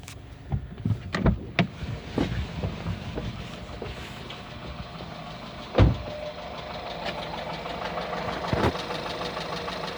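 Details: 1.4 TSI 122 hp petrol engine, 124,000 km, idling on a cold morning: light uneven rattle with sharp clacks that goes away once oil warms; timing chain set already replaced, cause unknown.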